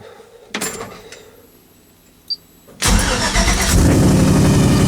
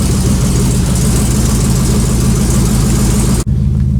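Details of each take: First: Cold start of a 1956 Buick with Hydro Boost and a stage one Summit cam: it catches to a steady idle with a faint wavering whine. The owner suspects the power steering pump, with air trapped after sitting. The transmission was already replaced, and the noise fades as it runs. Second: 1956 Buick V8 with a small stage one Summit cam, first cold start after sitting, in park: deep steady idle with a slight rhythmic lope from the mild cam, otherwise even and healthy; an initial noise on startup goes away. Normal cold idle with mild cam lope.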